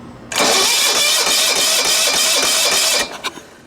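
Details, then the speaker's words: 1980s John Deere RX95 ride-on mower, Kawasaki FV460V, carburetor and starter rebuilt: about three seconds of steady cranking with no firing, then clunks as it stops; starter teeth suspected not engaging flywheel properly. "like I said for whatever reason we've got at least it is cranking over now so we're one step closer but yeah I'll show you what I mean it's just the the teeth are hitting"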